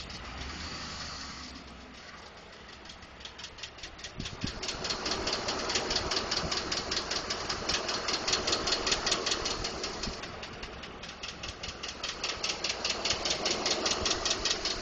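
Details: 2012 Ford F150 5.0 V8 idling with a steady, crisp ticking-knock of about two to three beats a second; others suggested normal engine noise such as injectors or the fuel pump. Cause undetermined.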